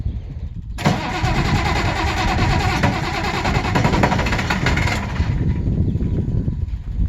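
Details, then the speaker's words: 190 XT auction-find diesel on a temporary fuel pump with ether and throttle lever set mid: starter cranks, it fires and runs roughly about four seconds, then dies; gets fuel briefly then loses it, cause unconfirmed. "A little more go juice, maybe. Gets fuel for a second and then it goes away"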